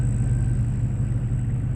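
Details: 2002 Chevy Silverado 5.3L idling just after fuel pump replacement and start: steady low even rumble with no misses or knocks, smooth idle.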